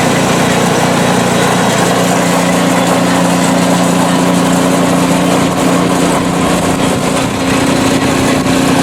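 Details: PowerSmart 24" snowblower small engine, ninth season, about 50°F outside, test run on sidewalk; steady, even drone at constant speed with no misses, surging or knocks; healthy, performing perfectly.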